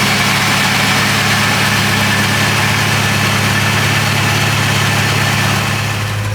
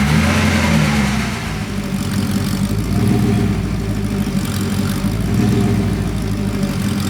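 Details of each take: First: Porsche 928 V8 restoration car, fuel pump relay refitted, air breather hoses off: even, steady idle with low smooth burble, no misses, knocks or ticks; engine sounds healthy. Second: Porsche 928 V8, warm after sitting 10–15 minutes, struggling to idle and clearly out of tune. The idle hunts and lopes unevenly: rough idle, rich mixture. A mixture tweak afterwards made it better but not perfect.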